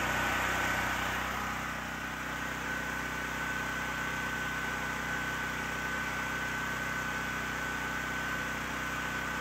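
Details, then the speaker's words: Generac GP6500 COsense generator running with the CO-sense module disconnected after it would start but not stay running: smooth, steady drone with an even pitch, no surging or stalling; running normally under its governor. "all right so as you can see the generator works just fine now that we got rid of the safety Sally business"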